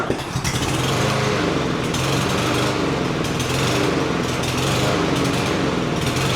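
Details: Cub Cadet SC300 mower with Honda-clone 159cc engine, before carburetor rebuild: engine chugs unevenly, speed surging and hunting instead of holding steady; running rough from dirty carburetor.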